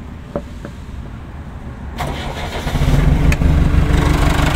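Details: JCB backhoe loader diesel, ignition key switched on so starter solenoid is enabled: quiet, short starter spin, engine catches at once and settles to a steady, even idle; normal start.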